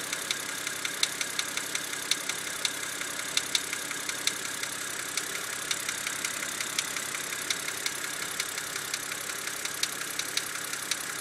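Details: BMW engine at idle: a fast, light ticking, almost two per second, over a quiet idle. Attributed to a binding HVA hydraulic valve lash element stuck extended; BMW refused the warranty repair.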